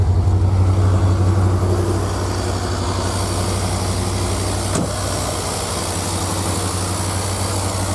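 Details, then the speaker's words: 1984 Corvette Z51, cold start: steady idle with a fast, even injector ticking on top, about four a second, loud under the magnesium cover; normal injector noise, nothing wrong. "You can probably tell those injectors are really loud. In fact, I gotta stand back here probably just so you can hear me, but they definitely make a big racket."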